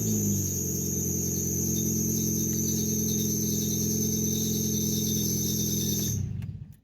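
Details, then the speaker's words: 2005 Nissan Sentra after power steering fluid refill and bleed: piercing steady high squeal over idle for about six seconds after startup, then stops. Belt squeal. "uh but the problem is that loud squealing noise whenever you start up"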